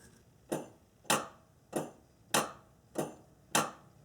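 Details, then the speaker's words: 2005 Acura TL low/high beam headlight solenoid bench-tested with alligator clips from the car battery: crisp, even clicks about every 0.6 seconds as power switches on and off, confirming the solenoid works correctly. "so we can hear the solenoid turn on and off and that verifies that this is working correctly"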